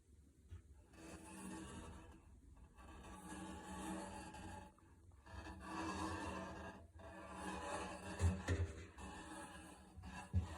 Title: Samsung washer creaking noise